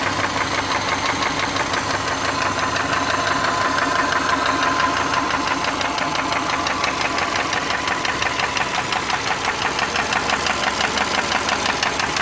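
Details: 2003 Subaru Forester petrol engine at idle, warm, oil changed every 3–5k: steady regular knock about three per second, long-standing and worsening, almost stops at higher rpm; owner suspects piston slap, rod knock or belt tensioner.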